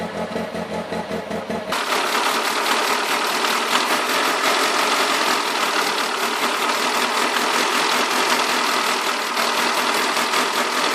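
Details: Alfa 156 with a rough idle: uneven beat of about two to three pulses a second, with a loping stumble under a loud hiss.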